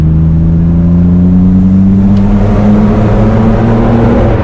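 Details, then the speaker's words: 1997 BMW M3 after crank sensor troubles, floored after a downshift: the engine rises cleanly to 5,000 rpm with no cut-out, past the roughly 4,000 rpm limp-mode limit, confirming it is no longer in limp mode. "That's what you want to hear. Oh yeah. 5,000 RPM there. So, limp mode usually limits to 4K in some of these Yep. cars. Yep. So we know we're definitely not in it now."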